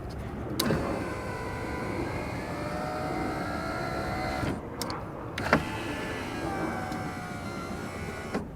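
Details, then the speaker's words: 2000 Toyota Camry CE rear door power window after regulator replacement: smooth, even motor hum as glass travels, no clunks, popping or binding; window works properly. "No binding. Everything works great."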